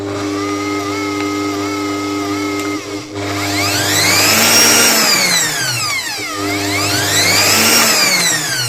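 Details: Bosch MUM5 stand mixer after the broken, bent gear that made a clicking noise was repaired: motor hums steadily, then sweeps smoothly up and down in speed with no clicking or rattle.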